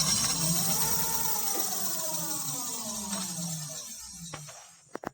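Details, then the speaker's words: Lima ELO 7 electric scooter rear wheel coasting: it spins down with a falling hum under a constant high hiss like something dragging; the owner suspects brake pads rubbing the disc. "එන්න මේ පිටිපස්සේ රෝදේ අදිටින් පොඩි සද්දයක් එනවා. අපි බලමු මේ සද්ද මොකක්ද කියලා ඉස්සෙල්ලාම. ඔයාලට ඇහෙන්නේ නැති මට හිතෙන විදිහට මේකේ බ්‍රේක් පෑඩ්ස් ගෑවෙන සද්දයක් වගේ තමයි එන්නේ."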